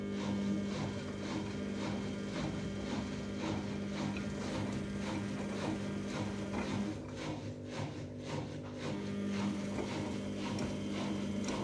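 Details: 14-year-old Samsung washing machine spinning at about 1000 rpm with a badly unbalanced load: steady high squeak over rhythmic thumping; owner suspects drum bearings, unconfirmed, empty spin test still needed.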